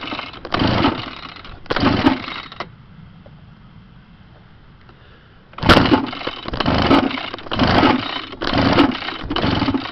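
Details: Pull-start scooter after replacing throttle cable, carburetor and pull start: repeated cord pulls, each a brief churning crank that never catches; owner suspects spark plug, no fuel filter letting junk in; won't start.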